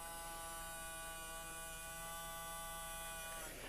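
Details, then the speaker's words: Repaired motor of a seized TrackMaster Salty toy engine (previously only buzzed weakly, didn't move), now spinning after adjusting the motor back gap; quiet, steady high electric hum, even pitch, no grinding; may need run-in; normal motor run. "All right. So, sounds pretty good. I might need a little runin, but I guess we'll start putting it back together and then maybe can do that later."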